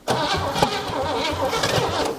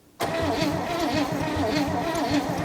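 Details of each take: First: 1957 Chevy V8 off the road since 1979, after spark restored with gas poured in: starter cranks and the engine catches with uneven, lumpy firing for a couple of seconds; it will run, justifying an intake swap. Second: 1957 Chevy V8 off the road since 1979: starter cranks steadily at about three pulses a second but it never catches; no spark after replacing the coil and opening the points; another coil is next, then points.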